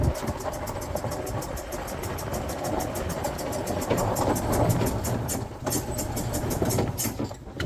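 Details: 2008 Yamaha Drive G29 gas golf cart, just bought: uneven lumpy idle with a stumbling beat about four times a second; it only stays running with the choke pulled; rough running, carb suspected.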